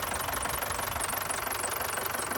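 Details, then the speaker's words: 30+ year old ice cream van at idle with battery light on: rapid, even rattling clatter near the alternator belt drive; the top pulley is shaking and a block with a screw and bolt is rattling; belt or bearing suspected. "Um, but there is like a a block with a a screw through it and a bolt and they're just kind of rattling around."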